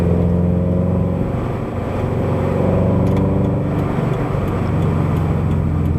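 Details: Subaru BRZ/FT-86 with SpeedFactory header and exhaust, warmed up, in-cabin at steady highway speed after fixing header rubbing the debris shield: steady low drone with no rattle or interior buzz; smooth, healthy cruise.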